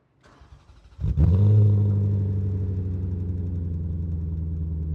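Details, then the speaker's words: 2005 Maserati GranSport coupe; short crank catches at once, revs flare then settle into a deep, smooth, melodious idle with no valve train ticking and no warning lights; healthy cold start. "So this is one of the really great exhaust notes out there. It's a lot more melodious than the same engine with the flat plane crank and the 430, which just sounds pretty angry."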